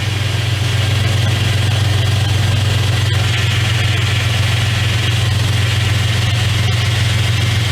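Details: 2001 Dodge Dakota 4x4 with 4.7L engine at idle after power steering pump replacement and air bleeding: an even, steady idle with no whine or groan from the steering pump. Normal idle.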